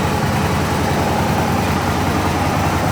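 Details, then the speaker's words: Gen 1 Aprilia RSV Mille / Tuono V-twin (97 mm pistons, dry sump) at idle during pre-season track prep. Steady, even rumble with no knocks, bangs or clanks; the engine sounds well balanced and healthy. "The engine still sounds pretty well balanced. Sounds pretty nice. There's no rumbles, no bangs, clanks, anything along those lines as it's going around."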